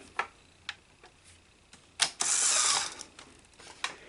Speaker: So when we hit eject, so let's hit rewind and see if we have fast rewind, which we do not. You hear that? You see that, guys? You see how it wouldn't rewind? It starts to, and then it can't.